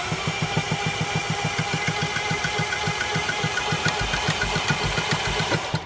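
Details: 2010 Audi A4 that ran perfectly the day before won't start in the morning; steady starter cranking about three and a half beats a second for six seconds, never firing or catching; cranks but won't start, cause unknown.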